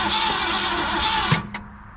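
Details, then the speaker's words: 1967 Ford Galaxie 500, 289 V8, sitting for years, gas poured down carburettor: steady churning crank with a couple of weak catches, never fires; cranks but won't start, cap and ignition parts to be replaced. "she's wanting to fire she's trying we got new plugs and wires i was just going to see if she'd bark off without it"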